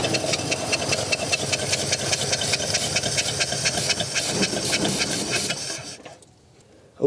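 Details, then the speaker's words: 1951 Ford flathead V8, unregistered since 1981: starter churns at a steady beat with no firing, then stops; fuel pump not drawing fuel, so carburetor will be filled directly from a bottle. "well I don't think our fuel pump is really doing a whole lot of anything right now so we're going to try and just fill up the carburetor directly from a bottle"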